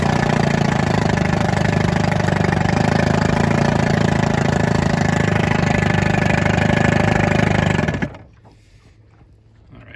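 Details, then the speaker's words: 1961 McCulloch Wizard 7.5hp outboard (actually a 9hp powerhead), still being broken in, buzzing hard at high speed with a wet gurgle. The propeller aerates, so the water inlets likely draw frothy coolant; water pumping is fine at lower speeds. "So you can see it pumps water fine at lower speeds, but at high speed you can actually hear it gurgling. It aerates the propeller a little bit, and the water inlets probably get aerated coolant."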